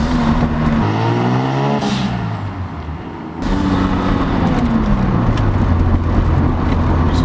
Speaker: Now, the only mods done to this car, I think, is the muffler that, you know, is on it right now, and also he has an aftermarket the muffler, as you guys see it in the back, and he also has an aftermarket blow-off valve on it that sounds like this.